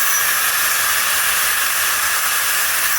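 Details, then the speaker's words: Aerovolty 4-in-1 cordless turbo fan blower (jump starter, power bank, light), trigger squeezed so it ramps up to full power: high airy rush of small fan motor running steadily near full speed, then winding down; normal operation. "If you just want to use it on one setting, that's all you got to do is squeeze this trigger. And it comes on and starts blowing."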